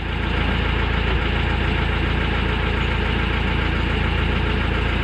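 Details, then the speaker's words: Mahindra Scorpio diesel idling with a fast light chik-chik chirp over the clatter that disappears when the clutch pedal is pressed and returns on release: worn clutch release bearing, to be fixed by replacing it. "Engine का न के साथ एक चिक चिक करके एक नज आ रही है दोस्तों आप सुन सकते हो दो देखिए चिक चिक करके नज आ रही है दोस्तो"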